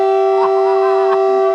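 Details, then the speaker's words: Warning whistle blown before starting the repaired 106A model Winton petrol engine: loud, steady, pure tone held about a second and a half then cut off; normal warning signal. "this will be a handful that we can blow the whistle before we start the witne engine on open date and it sounds like this so when you hear that you need to come here and whine up here because we're going to talk about the witne engine"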